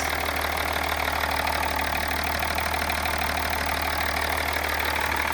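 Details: BMW E39 530d M57 diesel idling just after valve cover gasket replacement and fuel system bleeding; steady, even diesel clatter with a smooth low drone and no misses or odd knocks; normal idle.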